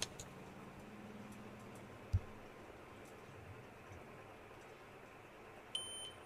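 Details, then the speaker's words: Dell Vostro laptop showing a "real time clock error, check date and time settings" message: a short high electronic beep over quiet room hiss that keeps sounding while booting and shutting down; real-time clock error beep. "right so once it's still shutting down you can see it's still on but the beeping sound was still on"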